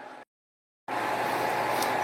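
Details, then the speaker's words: Acer Aspire 1700 laptop from 2003, 22 years old, after cleaning and thermal paste replacement, in BIOS: after a brief dropout, a loud steady airy rush with a constant mid tone; fans at maximum because ACPI fan control doesn't work in BIOS. "No i pewnie słyszycie szum strumyka. Niestety w BIOSie nie działa nam tutaj ACPI, czyli sterowanie wentylatorami i kontrola temperatury, więc wszystko idzie na maksa."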